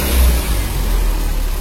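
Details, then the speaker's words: Nissan Grand Livina revving after its leaking coil protector sleeves and full coil set were replaced: a strong, deep rev that rises and settles smoothly with no stutter or popping. The earlier misfire is gone and it runs normally. "jadi ya ambil untuk mengganti eh satu paket perebut pun telah hilang bisa anda lihat er pantang normal"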